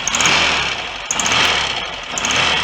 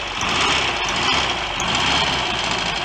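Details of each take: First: Restored Royal Enfield Constellation 700, just running again after magneto points fix, cylinder heads not yet retightened: ragged idle with sharp hissing chuff each firing stroke; blowing head gasket, heads to be tightened down. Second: Rebuilt Royal Enfield Constellation 700 twin, running after worn, wrongly fitted magneto points were fixed: even twin-cylinder beat at fast idle, steady and smooth with no knocking or rattles; the rebuild sounds good, running normally.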